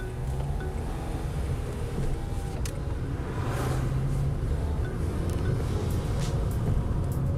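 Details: Vauxhall Corsa with a newly fitted replacement engine; the old engine made awful noises and had low oil pressure. It settles into a steady, even idle with a smooth low hum and no knocks, ticks or misses, sounding healthy.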